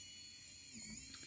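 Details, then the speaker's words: Motor number three on a DIY drone build, the left one, spinning counterclockwise as intended after connecting the ESCs, before calibration: faint high smooth whine dipping and recovering briefly, no grinding or rattle; normal healthy motor spin. "it should be counterclockwise it's work very good and now we go to motor number four it's the right on the corner so it's going clockwise"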